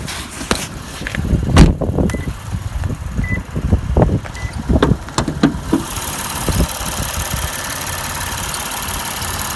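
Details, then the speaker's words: Lexus IS250 with replacement engine just installed, warm at normal temperature, no check engine lights: a few clunks then steady even idle, no pulley noise, occasional faint squeak fading over time; normal idle. "it is idling fine with no pulley noise. There's an occasional little squeak from somewhere, but nothing serious, and it's getting less and less as time goes on, so possibly that'll just fade away."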